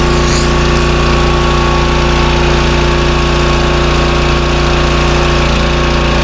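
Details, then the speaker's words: Pressure washer with 4-stroke lawnmower-style engine, carburetor repaired, hooked to water and spraying: steady, even single-cylinder drone holding speed under pump load; unloader releases pressure when the handle is released, working normally. "The engine's picking up the load like it should, and the unloader is releasing the pressure when we let go of the handle. So it's working pretty much just like it should."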